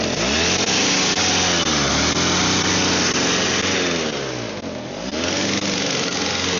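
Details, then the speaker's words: Snow blower engine that only ran with the primer bulb (owner suspects the carburetor), choke possibly partially on the whole time: buzzy single smokes heavily, sags and recovers twice; engine hunting. "So, I mean, it smokes a lot, but I think the choke might have partially been on that entire time, so that might have been it."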